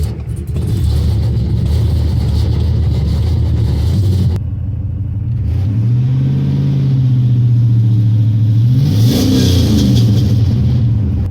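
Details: LS-swapped Chevrolet S-10 V8 running rich, misfire believed on one side, still present after injector replacement: idles with a slightly uneven lope, then revs up; misfire and rich running from a faulty oxygen sensor.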